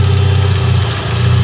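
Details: Engine after a tune, next-day start-up after stalling twice; uneven idle with loud steady low drone and rapid tapping seeming to come from the head; runs badly, cause unclear.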